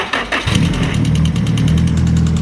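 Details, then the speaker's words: Built Nissan SR20DET turbo four-cylinder with upgraded springs/retainers and BC 264 cams, ticking began suddenly on a drive at about 3 psi boost: sharp, even ticking about nine times a second at idle; damaged valve top and retainer, shims possibly missing. "kind of sounds like lifter tick I hope that's what it is for sure pull the valve cover off real quick and it looks like I found our problem oh crap looks like it damaged the top of the valve a little bit or the retainer that sits on top of the spring"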